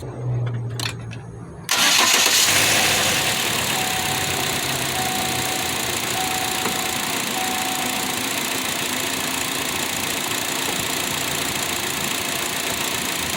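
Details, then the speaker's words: 2014 Chevy Sonic 1.8L, 80k miles, after replacing the coil pack and spark plugs to cure an intermittent idle misfire: quick crank, a clean catch, then an even, smooth idle with no stumbles. "things running nice and smooth thanks for watching this video we're going to take it out for a test ride"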